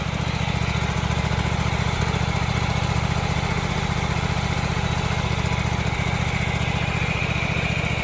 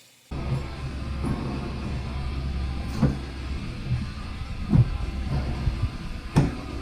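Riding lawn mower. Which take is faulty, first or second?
second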